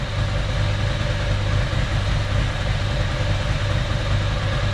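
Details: 1993 Ducati 750SS with standard Mikuni carbs, new jets and set float levels, idle mixture screws about 4.5–5 turns out on a gas analyser: even, lumpy V-twin beat at a low steady idle, no misses or hunting; properly set carburetion.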